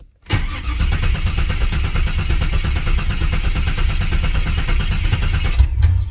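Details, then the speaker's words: Firebird with a freshly swapped 6.0 LS, first start, fuel system empty and the pump primed a few times: about six seconds of steady starter churn without the engine catching. "we got to prime it real quick we'll let the fuel pump kick on a few times because there wasn't no fuel in it"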